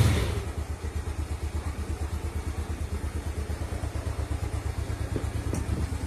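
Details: Small single-cylinder motorcycle idling after it had stalled. The old spark plug was burnt clean on a stove flame and refitted, gap set to a fingernail's thickness, and the valve clearance loosened slightly. Low steady thumping idle with regular firing pulses, no misfires or clatter; runs cleanly.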